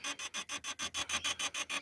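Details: Honda Civic G8 rear parking sensor beeper, speaker in the rear trim panel: rapid beeps about six a second, harsh and hissy instead of a clean tone; distorted beeper, speaker interference suspected, problem later resolved.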